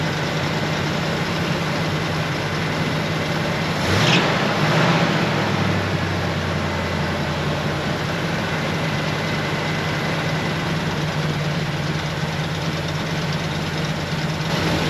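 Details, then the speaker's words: 1973 Ford F250 with FE390 V8, revived after storage with fresh plugs and the idle screw raised. Low, uneven, lumpy idle with a brief blip. Rough idle; it clearly needs carburetor work. "Well, it clearly needs some carburetor work. I'll probably just put a different carburetor on it."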